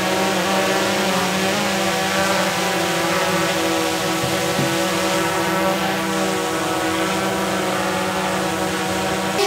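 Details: DJI Mavic 2 Pro hovering for a noise comparison: steady high propeller hum at one even pitch, no flutter or surging. The Mavic Air on Master Airscrew props measured close to its noise level.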